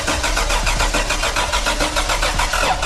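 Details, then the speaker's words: Toyota 4Runner with a weak battery on a jump box, cranked with the coil removed to prime the engine, so there is no spark: even, rapid cranking rhythm with no firing or pickup at all. "What we're gonna do right now, we're just gonna prime the motor. So we're gonna take off the coil so it won't fire."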